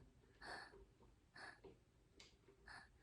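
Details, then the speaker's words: 2010 Subaru Forester engine out of the car, crank turned slowly by hand: faint short puffs of air hiss out on the compression stroke, then stop as the connecting rod goes over top dead center; found before a leak-down test. "I'm moving uh crank just a little bit right there the crank's still moving but the air stopped which makes me think that that connecting rod is going over top dead center"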